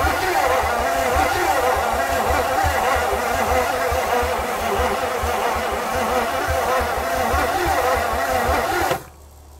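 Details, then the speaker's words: 1959 Edsel Corsair Ford V8 parked 40+ years, fresh plugs and oil in the cylinders, new cap, spark confirmed, throttle held open: steady rhythmic cranking, about four turns a second, brief weak firing that never catches, smoke and oil at the starter; cranks, won't start. "She's still not drawing a lot. - You don't hear the clicking though. - No."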